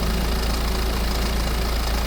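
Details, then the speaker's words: 2008 BMW E90 320d diesel, about 118,000 miles, at idle before timing chain replacement: steady diesel clatter with a faint light rattle, slightly rattly timing chain, engine feared to be on the way out; after chain job it ran smoothly. "I informed you that she had a pretty big problem with the timing chain being slightly rattly and the engine possibly on the way out"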